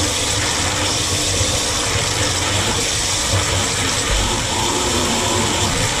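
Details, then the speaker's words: HALO 5 whole house water filter just installed, forced regeneration cycle running 10 minutes: loud, steady rushing hiss of water and air under strong pressure, no gurgling or knocking; trapped air purging normally. "A lot of pressure coming out of that. Hear it? Woo! 10 minutes here. That's all the air coming out."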